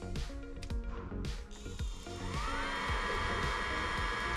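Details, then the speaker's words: Eberspächer Hydronic 2 D5 5 kW diesel water heater with fault codes 12 and 15, bench-tested without exhaust muffler and started via diagnostics: irregular fuel pump clicking, then fan whine rising steadily; normal start, loud due to missing muffler. "Okay, I can hear the fuel pump ticking, and it looks like it's starting."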